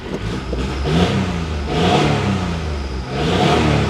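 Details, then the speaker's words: Geo Metro small three-cylinder, possibly 51,000 miles, after idle mixture and timing adjustments: starts on its own battery and revs smoothly through three blips with no knocks or misses. "actually sounds good it does not sound too bad guys I mean it's not very pretty but at least at least she runs starts up on her own with her own battery"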